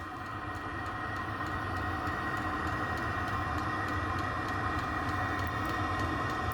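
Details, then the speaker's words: Diesel heater newly installed under a stacker race trailer, recorded outside at the unit: a steady combustion rush and fan hum with faint, light clicking from the fuel dosing pump. The heater is running normally. "See that the fuel pump clicks a little bit. It's a little noisy, but really can't hear when it's running."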